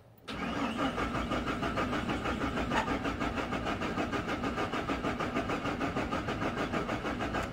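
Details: Chevrolet Silverado/Sierra/Tahoe/Suburban, 1996–2003 with 4.3, 5.0 or 5.7 engine, no spark: steady cranking about three turns a second for seven seconds, never catches; crank no start, cause still being diagnosed.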